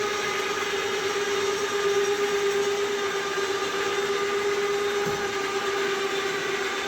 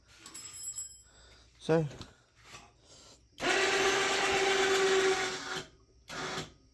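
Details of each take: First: Cheap ATV winch, newly installed, pulling under load: steady high motor whine near 400 Hz with a rough buzzy edge, yet it works as intended; cause unknown; noisy winch under load. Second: Cheap four-wheeler winch, cheaply installed, pulling under load: about two seconds of steady, rough motor whirr holding an even pitch; sounds rough but works as it should; 5% duty cycle.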